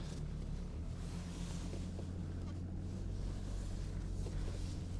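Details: BMW E34 525tds diesel, idling while parking after self-levelling suspension removal; low, steady idle with even deep hum, no knocks or misses; normal idle.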